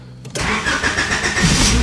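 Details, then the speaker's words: 1991 Honda Civic after 10+ years sitting, head gasket replaced, first start since previous night: short crank, catches at once, settles to steady even idle; normal cold start. "Now, I haven't started it since last night, so let's see how it starts."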